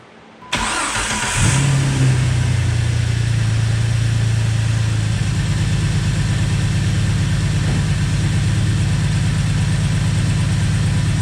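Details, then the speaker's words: 2004 Jeep Wrangler TJ Rubicon engine after fuel rail heat-shield kit, new six injectors and o-rings, throttle body cleaned (fixing hot-start heat-soak misfire): quick clean start settling into steady, even low idle with no misses or ticking. "so we're gonna see if the fuel rail leaks this time I'm going to start it up"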